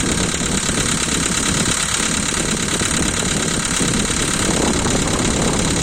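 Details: 2012 VW Polo 1.6 CFNA engine, cold start: cold idle with quick irregular tapping over the engine hum, one lifter louder than the rest; hydraulic lifters ticking on cold start until oil pressure builds.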